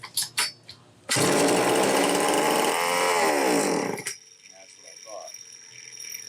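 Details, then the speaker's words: Homelite XL-903 chainsaw after carburetor work, test run: fires and screams at one steady high pitch for about three seconds then dies; runs only on full choke with no throttle response, fuel filter partly out of the fuel. "That's running on full choke. Absolutely no throttle response. That is interesting, folks."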